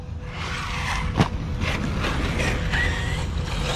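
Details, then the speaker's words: Arrma Kraton EXB RC truck while bashing on its third run: quick ratchety clicks and gear chatter over the motor whine. Drivetrain clicking; owner suspects grinding internals or the new rear diffs. "just wanted y'all to know that it's clicking he saw you know hear that clicking and when i did that [Applause] sheesh so the internals are getting messed up"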